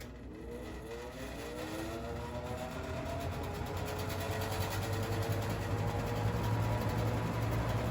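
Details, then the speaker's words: 1985-86 Lasko Super 3713 20-inch 3-speed box fan, shaded-pole motor, before restoration, whiny and slow despite free bearings: low hum with steady buzzy rattle; grille rattle from loose grilles vibrating. "a lot of that rattle is just the grills vibrating"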